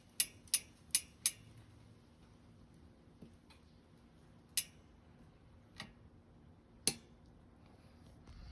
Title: sram sx eagle drivetrain clicking noise from chain